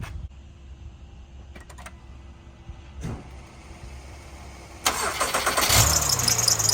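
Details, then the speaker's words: 2010–2013 Acura ZDX engine cranks and starts, heard under the hood: shrill, scratchy serpentine belt squeal; original tensioner very loose, not enough tension; fixed by replacing tensioner and belt. "So, what it looks like is our tensioner right there is really loose. So, it's not putting enough tension and it's causing the squeal."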